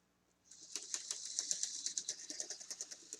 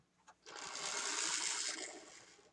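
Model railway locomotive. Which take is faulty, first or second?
first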